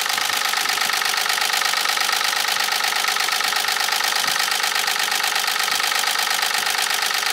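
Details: Nissan 300ZX Z32 naturally aspirated, manual, US-spec, with misfiring: sharp regular ticking knock about three a second over a clattery, tractor-like idle; cause not yet pinned down.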